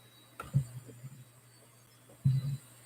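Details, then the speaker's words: Old Western Digital 30 GB IDE laptop hard drive from a Dell, around 21 years old: low steady motor hum with a couple of light clicks, no grinding or repeated clunks; drive spins up normally. "it's definitely started up"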